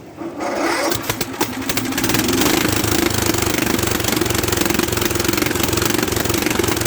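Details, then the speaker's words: Late-1960s/early-1970s Bolens garden tractor, sitting in a barn for many years, cranked: sputtering, then an uneven pulsing ragged run, struggling to pick up fuel; fuel valve on but no gas flowing through filter, possibly blocked. "the gas has been on it's not one position i don't have any flowing through the filter yet this could be blocked up"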